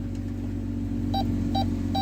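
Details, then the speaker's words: 2016 Dodge Grand Caravan in reverse, engine idling: rear park assist gives short mid-pitched double beeps about every 0.4 s as it senses a picnic table; service park assist code no longer returns, and the parking sensor system works normally. "no there it is what do you know we fixed it there we go so you can see the code never came back the system works"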